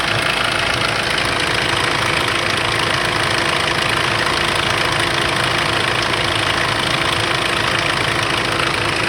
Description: Startup rattling engine noise (bad timing chain?) on 2005 Kia sorento 2.5L CRDi D4CB diesel engine